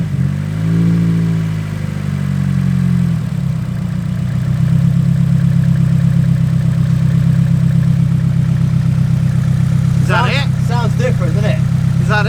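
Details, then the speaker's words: Nissan S14 petrol engine at idle after a brief rev, after fitting a new igniter bolted to chassis earth and cleaning the connectors: an uneven, stumbling beat with dropped firing pulses. It is still misfiring and tends to die after a few minutes; the cause is unconfirmed. "it's worth so we just done a little clean on the connexxus yep take so it was strange because the new igniter did idle of it there but it was also misfiring so"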